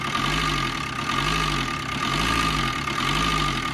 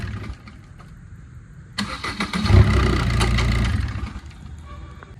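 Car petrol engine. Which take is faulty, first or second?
first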